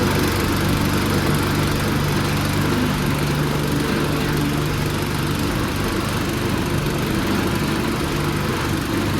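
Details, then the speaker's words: Newly swapped Predator 212 engine on a 40-year-old Bolens snowblower, first run after the swap with new pulleys: strong, even drone at constant speed, no misses, knocks or surging, running great; something is slipping in the drive underneath, and the owner plans a new belt. "oh Run's great but I got something going going on with the drive in the back"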